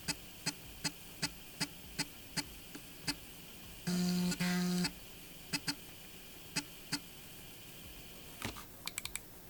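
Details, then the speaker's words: 1986 Macintosh Plus 1MB floppy drive after full cleaning, service and replacement cogs: light ticking steps, a short motor buzz and more clicks as it seeks and spins; normal floppy drive operation. "it's working and this is so cool I'm actually so impressed by those little cogs"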